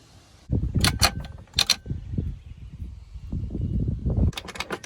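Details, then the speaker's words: Honda Element manual transmission with 260,000 miles, removed from the car and turned by hand, gives rough, gravelly grinding and clattering, sounding full of rocks; the gears and bearings are worn from running low on gear oil, which leaked past the seals into the bell housing. "sounds awful doesn't it yeah sounds like full of rocks"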